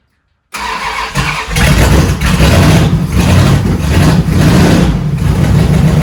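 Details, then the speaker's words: 1971 Dodge Charger Super Bee 383 Magnum V8 after valley pan change, cold: fires up and revs with a lumpy, uneven beat under exhaust roar; owner suspects ignition timing is off again and plans to adjust. "Oh man, I just don't know. Sounds like she's out of time again. I'm gonna crank that screw up a little bit."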